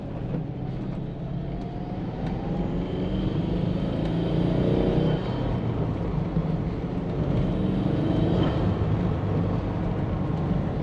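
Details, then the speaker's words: Subaru SG Forester after an oil change (K&N HP-1008 filter) with an older SF5 intake fitted and the underbody tray off, driving in rain about 10 km: steady drone with louder intake whoosh; idles and runs smoothly, better than before. "Alright, she's definitely idling a lot better now. Sounds good. Oh guys, that's it. She is running a lot better. She's idling good."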